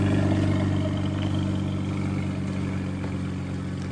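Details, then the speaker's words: BMW N54 twin-turbo engine swapped into an E91 wagon idles low with a faint uneven rattle and hiss, blowing white/blue smoke after a launch; rear turbo blown, owner believes a slipped outlet coupler let it overspin, destroying its oil seal. "so um it sounded like the turbo's blown see listen I think oh no it's not good"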